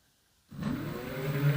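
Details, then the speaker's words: E-bike motor with newly wired controller, assist mode 1, driven by pedal-sensor simulator: motor starts and settles into steady even low hum, same speed regardless of pedal speed, stops when pedaling stops; working. "Et là, on entend que le moteur tourne. Tout simplement avec le pédalage."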